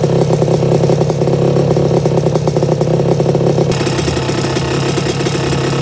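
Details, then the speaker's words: 1982 Suzuki RM125 two-stroke, freshly restored engine on first test run, cooling water issue noted for later: crisp, even popping at steady idle, no knocks or misses; engine sounds really good. "That's bike number 1. That engine sounds really good."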